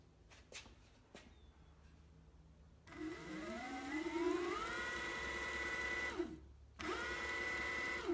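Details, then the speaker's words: Evolve One electric skateboard after replacing the failed motor with a new one, belt tension about right: clean whine sweeps smoothly to a steady high pitch, spins down and back up with no grind or clatter; normal motor run. "just took this for a spin works like a champ we've got the belt on the tension is actually just about right motor spins great no grinding noises and locking up there you"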